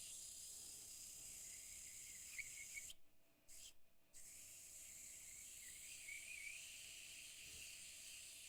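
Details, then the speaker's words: Pen blank sanded on the lathe during finishing; steady high hiss of paper on the spinning blank, briefly lifted off twice, an even grinding sound that tells when sanding is enough, no chatter. "all I have to do is is watch it and your ear will tell you when you've when you sanded enough you can hear the grinding"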